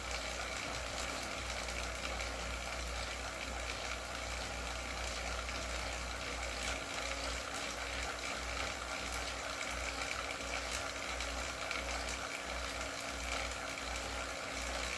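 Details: Wahoo KICKR CORE trainer with Zwift Ride, strapped to a rocker plate, at 90 rpm cadence and 170 W: an even, smooth hum with no repeating clicks. The trainer is running normally.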